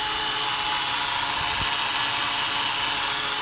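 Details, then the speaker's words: 2015 Honda Accord with a supercharger-like whine for about a month, at idle and on acceleration: a steady high-pitched whine over the running engine from a worn belt tensioner pulley bearing, found by stethoscope. "all right so it's making this crazy whining noise I don't know if you guys are able to hear it I'm gonna get closer and I suspect that it's this way that's right here which is actually a tensioner pulley"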